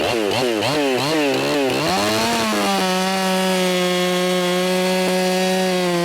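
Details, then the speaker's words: Ported Echo 4910 chainsaw tuned to 14,800 rpm no-load, cutting wood: revs dip to about 9,700 rpm when dogged in, 11,500–12,500 rpm cutting at own pace; high, clean, steady scream, healthy well-tuned saw. "This is an awesome saw that I should be using much more often, because whenever I dogged it in, it was about 9,700 RPMs."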